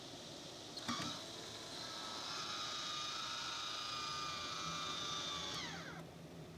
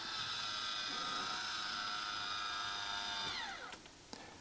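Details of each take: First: MaxxFan Deluxe roof vent fan in a camper after 2 years of use, running at 40% speed: steady airy whir with faint even hum, no rubbing or rattle; becoming slightly loud but working normally. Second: MaxxFan Deluxe roof fan in a camper after 2 years of use: steady high gear whir for about three seconds, dropping in pitch and ending with a click as the lid opens or closes; noisy lid-drive gearing, audible to neighbours at night.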